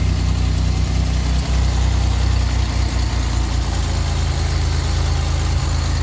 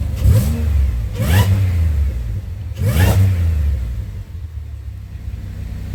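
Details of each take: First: Pontiac engine at idle after checking all six and reconnecting purge valve and vacuum brake booster line: loud deep idle with faint uneven ticking puff; owner hears exhaust leak at manifold/downpipe and a slight miss. Exhaust leak. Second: Pontiac engine revving after reconnecting purge valve and brake booster line: three quick throttle blips rise and fall cleanly, no stumble; sounds a lot better revving though random multiple misfire remains at idle. Normal revving.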